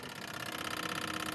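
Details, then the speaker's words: BMW 850 V12 checked before its MOT: hazard flasher clicks far too fast, a quick regular chatter, when the hazard switch connector is wiggled. Bad contacts on the switch pins; pins to be cleaned. "You can hear him going crazy. So, we got bad contacts out here."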